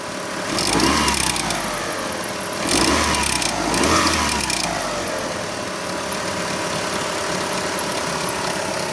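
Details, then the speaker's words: 2003 Kia Optima 2.4L idling, engine bay: fast light popcorn-like ticking and popping, noticed on starting and on throttle taps, from the alternator's worn bearing. "that old alternator is clicking and popping get back with you in a second"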